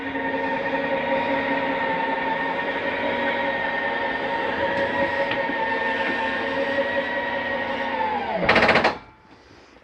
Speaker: it's okay to hear that noise i wanted you to hear it that is the slide mechanism simply telling itself not to come in any further